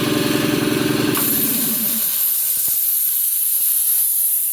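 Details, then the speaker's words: Quincy QT-54 shop air compressor with 3-phase motor and contactor control circuit: pumping thump stops abruptly as the tank reaches pressure and the pressure switch de-energizes the contactor coil, then a sharp sustained hiss; normal cut-out with unloader. "And then of course when the tank is up to pressure, the pressure switch will turn off"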